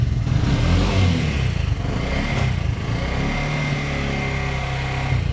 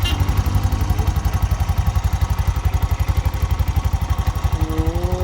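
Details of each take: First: Bajaj BS6 single-plug motorcycle burning half to three-quarter litre of oil daily, tappet noise suspected: idles with uneven rough mechanical chatter on the exhaust beat; camshaft rocker found seized. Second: Bajaj BS6 single-plug motorcycle after repairing a seized camshaft rocker: crisp even single-cylinder pulses, steady rate, no clatter or ticking; clutch smooth without jerking after the run.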